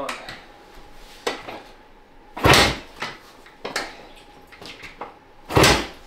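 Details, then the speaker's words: 1971 Yamaha H1 two-stroke enduro, engine off: irregular heavy clunks every second or so while kicking and shifting through gears; normal gearbox clunk. "that horrible sound is what it's supposed to sound like but it doesn't need to be in neutral cuz it's not moving enough"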